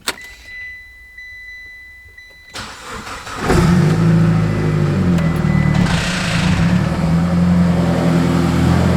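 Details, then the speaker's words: Mitsubishi Evo X after sitting 15 months, freshly filled with about 4.5 L oil: cranks and catches to steady idle with light quick top-end tapping, more than normal; cause unknown, possibly unfamiliarity with engine. "sounds good sounds like we've got a little bit of tipping and tapping up here little more than normal unless I'm just not used to the engine"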